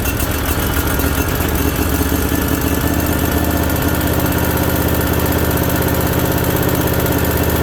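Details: Briggs & Stratton Vanguard V-twin with head gaskets redone and a new oil cooler, on its first start: a steady, even throb at about four beats a second with no knocks or misses. It sounds real healthy.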